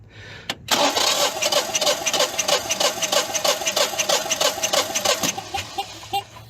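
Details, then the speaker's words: Propane-fueled engine cranking with fuel off during a compression test: a steady, even chuff about three per second with no hitch. Reading is 195, almost 200 psi, against an expected 195–210, so compression is normal. "All right, looks like we got 195, almost 200. I can do it one more time. Yep, 195, almost 200."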